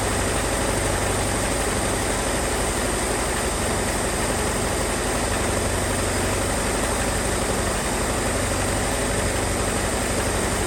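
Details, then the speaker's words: 1978 Ford Mustang 2.3 four-cylinder, first long run in decades, new aluminum radiator: idle smoothing out but a constant raspy chattering noise from the front of the engine, from a loose, slipping alternator belt. "but start to kind of smoothing out throughout me running it, besides that loose alternator belt that's making all that noise up front."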